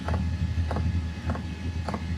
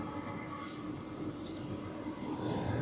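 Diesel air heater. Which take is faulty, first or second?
first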